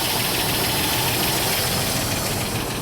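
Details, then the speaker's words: Fast, steady top-end tick at idle on a 2005 Dodge Ram 2500 5.7 Hemi V8 with almost 300,000 miles and a dead-cylinder misfire; suspected worn cam lobe from a seized lifter roller causing low compression, unconfirmed. "see if it set any codes so that ticking right there I think a cam is worn"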